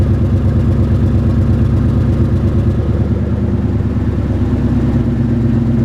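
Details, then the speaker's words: 1995 Lincoln Town Car, 153,000 miles, exhaust falling off (one side muffler, other resonator, pipes ending early), at idle: loud rough clattery puffing with irregular stumble; exhaust leak plus misfire, owner plans plugs and wires, needs tune-up. "So, you can hear right off the bat that exhaust leak and then the misfire."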